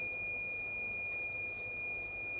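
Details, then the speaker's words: Dead Asus TUF FX506L laptop, short killer drawing 3 A into the shorted main power rail: steady unbroken high buzz as a spot near the memory reaches 56°C, hot part likely under the board; short from a bad MOSFET. "We're drawing 3 amps. So something should start gaining temperature now somewhere around here. As you can see that spot got 56° And that is around our memory."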